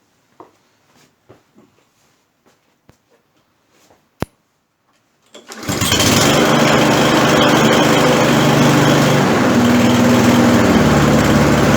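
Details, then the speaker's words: Torx 140A small engine with hard cold starting, cold start on full choke after adjusting choke travel so the butterfly closes fully: a few quiet clicks, fires first pull, smooth, even, steady run with no hunting or misfire. "that made all the difference that sound nice"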